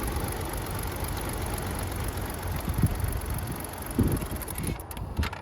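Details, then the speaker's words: BMW E46 325Ci, M54 engine, idles poorly and dies on throttle; codes P0300, P1343/P1345/P1347, P0444, P0102, P0313. Slow idle that sags and stumbles with irregular thumps about once a second, same as before with the idle air control valve plugged in; IAC faulty, and a new IAC helped. "All right, that ran very slow. Okay, so it ran the same as before, so now we're going to unplug the idle control valve and see if that does anything."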